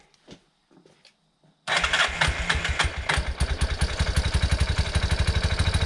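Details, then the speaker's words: 1987 Yamaha Big Bear 350 4x4 ATV single-cylinder, started with a jump pack because the small battery could barely crank it: fires at once and settles into a steady thump of about four beats a second; starts fine. "well uh start it up just fine there"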